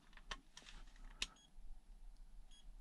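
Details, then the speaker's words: Hobby Plus CR-18P crawler, winch ESC powered separately and tested on a motor: only a couple of faint short high beeps with no arming tune, ESC fails to initialize and motor does not run until reprogrammed. "power up the receiver and then power up the winch ESC did you hear it did not initialize and the motor"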